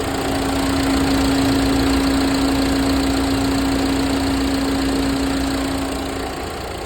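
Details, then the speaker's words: Ford EcoSport after replacing failed resistor that made the AC fan cut off while running: smooth, even idle with steady fan hum over it, nothing irregular; AC cooling and fan now working correctly. "ഇപ്പോൾ AC കൂളിങ്ങും കാര്യങ്ങളെല്ലാം കറക്റ്റായിട്ട് വരുന്നുണ്ട്."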